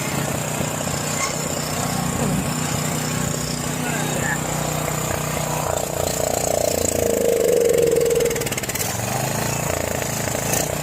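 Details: John Deere 6200-watt portable generator, dry-stored four years since Hurricane Ian, old fuel left in carburetor turned to varnish; just started on half choke: catches, then uneven, surging beat; rough running from varnished carburetor, possibly low fuel.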